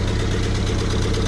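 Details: M38A1 Jeep after restoration with 90% of the exhaust system replaced, heard at the tailpipe: even, steady low thrum at idle with no puffing, ticking or blow-by; exhaust pretty quiet, normal idle.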